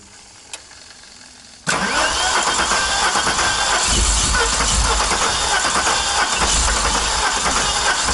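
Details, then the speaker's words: VW Golf 3 VR6 Turbo, about 500 PS, first start: catches abruptly and runs loud, rough and stumbling. Fault is in the ignition, not fuel; this is how a wrong firing order sounds. "Das war jetzt für die Zündreihenfolge, wenn ich passen würde. Ja. Wenn die Zündreihenfolge nicht passen, so klingt das."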